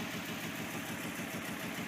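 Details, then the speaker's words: Datsun 280ZX with corroded, poorly sealed first-cylinder fuel injector harness connector, idling: lumpy, lopsided skipping pulse; cylinder one not firing at all, lead to be replaced. "And you'll hear it. That first cylinder's not firing correctly, not firing at all,"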